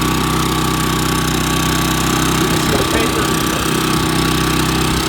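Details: New Champion 3400 W dual-fuel inverter generator (model 100263), just switched from LP to gasoline, heard from 5–6 ft with sound reflecting off a truck box. A smooth, steady drone at constant speed with no knocks or surging; it runs healthy. A shipping-damaged regulator was found.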